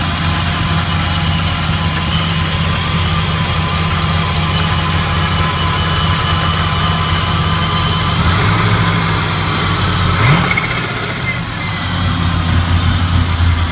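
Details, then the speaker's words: 1978 Chevy Caprice Classic Aerocoupe, 5.3 LS (LM7) swap with ProCharger, first start-up: steady, even V8 idle with a faint high whine on top and a brief blip near the end. Runs healthy; normal idle. "So but yeah, y'all, just wanted to show y'all she in there and she's singing. That sounds real good."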